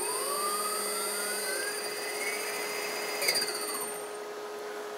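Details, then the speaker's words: DIY-kit AC inverter driving an AC induction motor/generator, throttle backed off from maximum rpm: smooth electric whine with high inverter tone sliding down as speed drops; motor runs even and healthy. "so right now it's going maximum rpm so I can change change the loves change change the speed"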